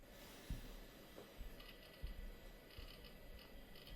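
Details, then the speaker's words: Old 327 MB IDE hard drive, apparently Seagate ST3150A, auto-detected in a 386SX PC that later booted Windows 98: spin-up with a light rattle, then quiet hum with scattered ticks and soft clicks as heads seek; normal, healthy seek noise. "So let's hear it spinning up. A lovely little rattle, and the hard drive is auto detected, 327 megabytes, so that's really good."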